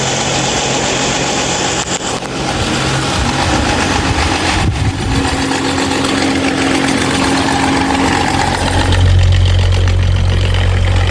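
Loud, rough droning hum that shifts partway through, with a low steady buzz; this fan is running abnormally noisy, cause unclear.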